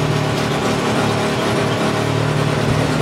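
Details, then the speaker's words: Polaris Sportsman 600 ATV fitted with a different carburetor by a previous owner, before repair, tach not reading: a fast, slightly uneven, chugging idle with a wavering beat, a rough idle. "i'm gonna try to start this thing for you so you can see how it runs see how it idles it's pretty rough"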